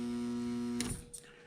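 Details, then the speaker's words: Magnetizer recharging a WICO magneto magnet at 28 volts, one of three shots: steady strong electrical hum under a second that cuts off sharply with a click; coil energizing normally, magnet strength improved afterward. "So I'm going to put this over here on my magnetizer, and I'm going to apply my 28 volts. And right away you can hear the hum, and I'm going to give it 3 shots."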